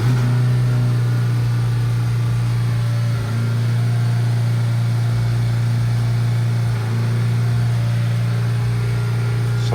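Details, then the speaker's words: Ford Focus after dual clutch replacement with a new LuK kit, relearn run in park with brake held and accelerator floored: steady high engine drone with two brief dips as the gearbox steps through each gear. Normal adaptation run. "it went into each gear. Now, we're going to let the gas pedal go."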